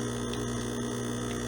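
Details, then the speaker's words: De'Longhi espresso machine pump, brewing very finely ground illy Classico espresso, lightly tamped: loud, steady, buzzy hum with no let-up; pump straining to push water through too-fine grounds, sometimes dies. "That's the pump struggling to get that water through."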